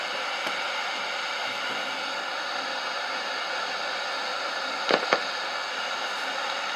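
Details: National SG-585 suitcase radiogram, circa 1969-70, restored and playing a record on phono at 33 rpm at full volume: a steady hiss across the top end with sharp pops and crackle throughout. Playback is noisy.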